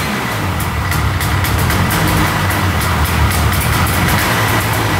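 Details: Vintage Arctic Cat Panther 440cc two-stroke sled, just revived after fixing a hidden broken ignition coil wire, started on choke with old fuel: rough, choked putter settling into a steady run with no misses or knocks; normal running.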